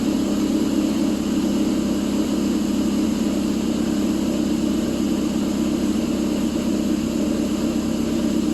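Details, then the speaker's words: A warm 2006/07 Subaru Impreza 2.5i, started ice cold with the battery at 11.85 V, develops a loping, uneven idle. Cam advance goes from 1 to 3 at idle as the advance valves open wide; unplugging them smooths it. "As you can see, those valves for the Advance go wide open after she warms up. If you pull them, smooths out."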